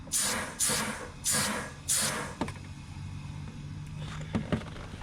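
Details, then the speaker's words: Evo 8 track car, suspected blocked fuel tank vent: compressed air blown into charcoal-canister vent hose gives four sharp hissing blasts then steady flow into the tank; air returns through the line, so the vent is not blocked. "Alright, so I'm just blowing compressed air in here, and you can hear the air going into the fuel tank."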